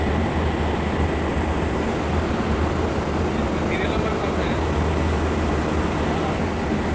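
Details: Armstrong VFD-driven pump motor run in hand mode at 100% speed (50 Hz): loud steady hum with rough, gritty rush, no speed change; abnormal motor noise, bearing replacement discussed, likely worn bearing.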